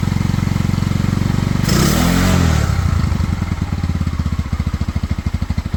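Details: Cheap Pioneer Nevada single-cylinder motorcycle after new carb fitted and rusty tank cleaned with vinegar, choke off: steady even beat settling into regular idle after a brief rev, no misses or stumbles.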